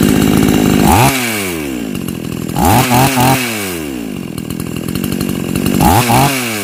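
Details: Chainsaw that cut out when hot, after fitting an old spare ignition coil: sharp, clean revs rising and falling in quick bursts with strong pickup; strong spark, runs healthy and pulls hard.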